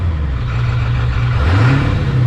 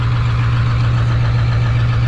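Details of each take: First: 7.3 Powerstroke swap engine first running, stock bypass mode without correct tune: two quick throttle blips, revs climbing cleanly and returning straight to a smooth even idle; engine responds well. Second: 7.3 Powerstroke diesel engine swap, first run with no boost or exhaust leaks: steady, even diesel clatter idling around 900 rpm, a bit high; switching to quiet idle mode lowers rpm and noise.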